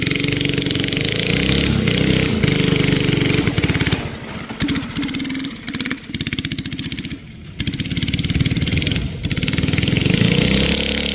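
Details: Flathead Briggs & Stratton alcohol race go-kart engine, barn find sat over 30 years, running E85, test run: single-cylinder revs, then stumbles and sags with uneven firing before picking up; bogging under load, carburetor issues suspected.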